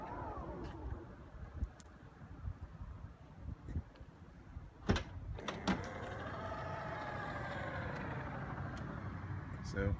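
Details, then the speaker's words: Tesla Model X falcon wing door after the service fix in February 2017 for creaking and misalignment that started after two weeks of ownership. A smooth, even motor whir rises and settles as the door travels, with no creak or squeak: normal operation. "no creaking from the doors anymore. Everything looks and sounds good."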